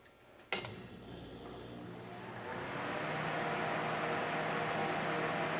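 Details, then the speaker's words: 1973 Sears Coldspot dehumidifier, model 106.639140, after cleanup and oiling of its 120 V fan motor: a soft click at switch-on, then a low hum rising into a quiet, even fan whoosh with no rattle; coils cool quickly and it runs healthy. "so you can't even hear the compressor at all and I Heard It Go drone when it came up but it was like so quiet yeah once the fan gets up to speed it it you just don't hear it"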